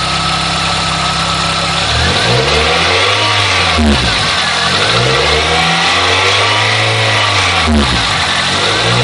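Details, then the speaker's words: Engine revved repeatedly after partial exhaust heat shield fix: rattle gone at low rpm but a metallic rattle buzzes in at the top of each hard rev from the loose exhaust shield. "seems like it's pretty much gotten rid of its rattle down low but I still have a nasty one when I rev up pretty good"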